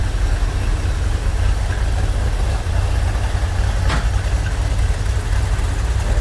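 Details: Corvette C3 V8 with Holley carburetor after carb repair and idle mixture and ignition timing setting, earlier misfires gone: steady, even low rumble at idle with no stumbles; normal idle.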